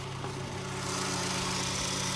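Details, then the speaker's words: 2000 Fiat Panda Young (141 chassis), hot engine after repair of worn piston rings and oil passing into the combustion chamber, with new timing chain and tensioner, valves, oil pump, radiator and thermostat: almost silent, smooth, even idle with a low steady hum and no knocking or rattle. "praticamente nessun rumore tutta un'altra cosa ma è proprio un'altra cosa io un motore di panda così silenzioso non l'ho mai sentito"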